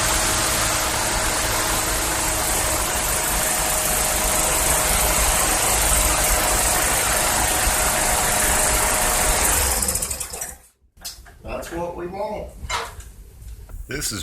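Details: 2012 Yard Machines 11A-A54R729 push mower, Briggs & Stratton 158cc 500 Series, new HIPA carburetor and tune-up kit; restarted after about an hour and a half, fires evenly at steady speed for ten seconds then shut off: runs healthy warm.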